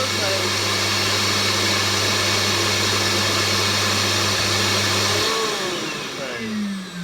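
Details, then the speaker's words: Redundant vacuum cleaner rewired as a workshop dust extractor, first test: strong steady high whine with rushing air and fierce suction, then smooth falling-pitch wind-down at switch-off; normal running, motor healthy. "right so that that that's sucks in a good way so that really does that was pretty fierce the amount of suction coming in there"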